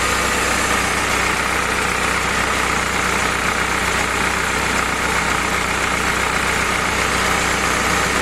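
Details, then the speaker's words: Willys CJ2A L-head 134 flathead on test stand with T90, Dana 18 and overdrive, break-in oil, warming up before carburetor and timing set: even steady idle with soft uniform patter, no knocks or misses; normal. "hey everybody we're running Hal's engine today this is his L head 290 Dana 18. and Overdrive"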